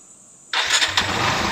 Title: hard starting issue Kawasaki Barako II